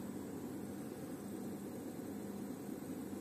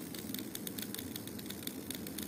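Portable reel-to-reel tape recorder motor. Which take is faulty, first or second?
second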